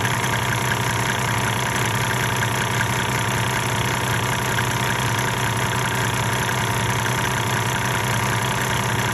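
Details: 1998 Mercedes-Benz E300 OM606 diesel, 185,000 miles, at 9,000 ft in Colorado, idling before the Diesel Purge cleaning and smoking. An uneven, lumpy clatter with a loose, irregular beat gives a rough idle. The owner suspects the injectors; unconfirmed.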